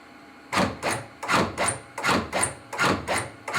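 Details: AutoPulse mechanical CPR device demonstration: even whirring band cinch strokes about 80 per minute with no stumbles, compressions cycling normally.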